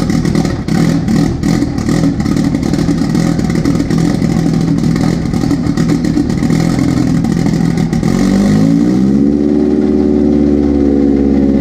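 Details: Jetta with billet IE fuel rail and Aeromotive fuel pressure regulator, just jump-started from a fully flat battery after about two months sitting: loud, busy rumble, revs lift then settle into a steady, even cold idle; fuel pressure about 41 psi; normal.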